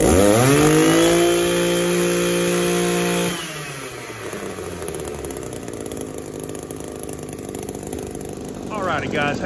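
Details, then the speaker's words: Echo SRM-280S trimmer that wouldn't rev, after cleaning clogged catalytic converter in muffler: climbs to a clean high rev, settles to steady even idle, still warming up; runs healthy. "so it's idling a whole lot better already warm up just a little bit and we'll match the throttle down"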